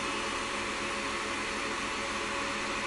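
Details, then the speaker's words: Miniware MDP-L1060 DC electronic load after about 5 minutes at full 100W load, max temperature about 61–63°. Two powerful fans roar at full speed with an even rush and no rattle; normal cooling fan operation under full load. "so the two fans are definitely very powerful and can become very loud when Under full load"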